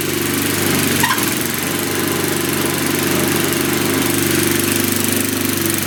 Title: 1997 Murray Ultra 22" Two-Stage 5HP Snowblower